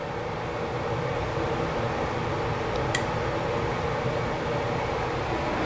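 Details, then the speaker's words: Hybrid propane furnace/heat pump after burner shut off: blower continues post-burner cool-down with supply air still about 120°F, heat pump kept off; steady even airflow rush and low hum, no knocks or scraping; normal. "so the furnace shut off but it's still doing its cool down sequence and notice the Supply Air is still quite hot 120"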